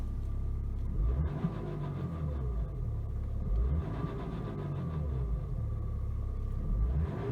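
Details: BMW X5 E70 with N57 diesel at idle: deep pulsing rumble with a faint rhythmic rattle from a bad timing chain.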